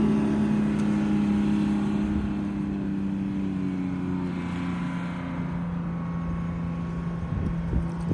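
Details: Rebuilt bus diesel after fuel-system fix, started cold (20°F overnight, about 42°F morning) with no ether or block warmer; smooth, steady drone, constant low hum, no knocks, misfires or stumbles. Healthy, even idle.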